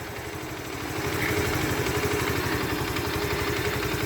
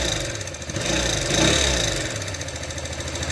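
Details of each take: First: Alpha Motoland Scout 110cc motorcycle after replacing the failed oil pump, piston kit and cylinder head to cure a head knock: steady single-cylinder putter about four beats a second with light valve clatter, even and unbroken, idling normally. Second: New Alpha Motoland Scout 110cc moped, 600 km: dry light tapping from the cylinder head at idle, about three to four a second, persisting after the excessive valve clearances were adjusted; the oil pump is not delivering oil to the head.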